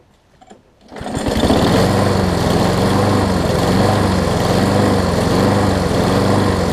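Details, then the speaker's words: Craftsman self-propelled push mower after new flywheel key and carburetor: catches then runs at fairly steady speed with uneven, wavering beat; still running rough, float sticking suspected, cause unknown. "Yeah, something's still not right with it."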